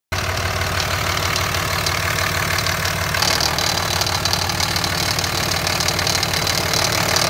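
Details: 2005 Cummins 5.9 diesel at idle: harsh rattle about three beats a second with gritty grinding edge throughout; source not identified.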